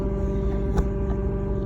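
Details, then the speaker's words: Lexus GS F parked after a 7-mile drive: a loud, steady low drone from under the rear seats with no rhythm, much quieter while driving but very loud once stopped in park. Cause unknown. "I had the buzzing going on in the car the whole time when I was driving but the sound was a lot more minimum but as soon as I stopped in park that sound you can hear very loud"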